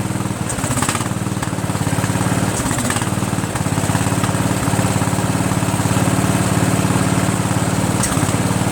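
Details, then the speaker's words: Sabre by John Deere lawn tractor with a repowered single-cylinder engine and a swapped carburetor, at first start in neutral; lumpy, uneven thump with a breathy puff while the breather dumps residue; teardown found a blown head gasket. "So either it was just cleaning it up, right, with stuff that was in there from a long time ago, and it needs to breathe better and clear out the stuff. As you can see, there's a lot of stuff in there. Or my head gasket's blown."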